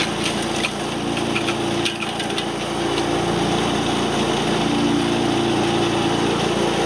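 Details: Wood chipper small engine after replacing a belt that let go: steady high drone under crackling wood noise, no belt squeal or slipping; drive working normally again.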